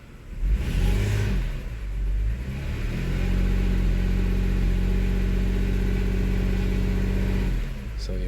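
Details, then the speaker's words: 2002 Toyota Highlander in Drive under load, RPM dropped and throttle snapped. It holds a low, uneven drone with stumbles, a load-dependent misfire on cylinder 6. The cylinder 6 connector is to be inspected next. "I can feel it again if I get the RPM low enough it'll do it let me put it in drive and see what happens I'll put a load on it it'll drop the RPM"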